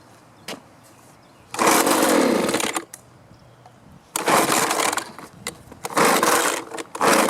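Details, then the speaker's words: Two-stroke leaf blower stored over winter with year-old gas: it fires on choke in short rough bursts, then sags and dies when switched to run, and restarts. Bogging from fuel starvation, with a carburetor, fuel line, filter or water cause suspected. "well you can see i can get it started it'll run with the choke on but then when i turn it to run it bogs down and will quit running what that tells me is it's not getting the fuel it needs"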